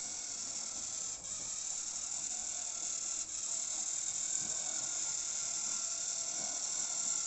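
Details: Jouef 040TA model locomotive with gear drive pulling a test train after derailment fixes; constant high whirring gear chatter with no load change, very noisy compared with a belt-drive 5-pole model, but running normally.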